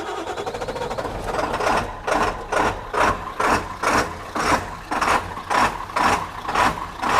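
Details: 1997 Ford F-350 7.3 turbo diesel with a new starter, just after first start: diesel clatter settles into a steady idle with a loose pulsing beat about twice a second; running normally.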